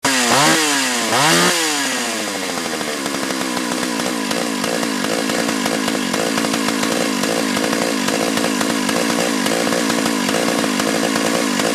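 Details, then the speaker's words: Chainsaw blips twice, then holds high revs with a wavering, burbling pitch before shutting off; it won't idle or tune, runs okay on the high jet but bogs and stumbles coming off high rpm; carburetor suspected. "it was bogging and stumbling and um it would on the high jet it would work okay um when i got it up to throttle kind of like i did there but as soon as it was coming down off of that high rpm it was just stumbling and bobbling and and everything like that"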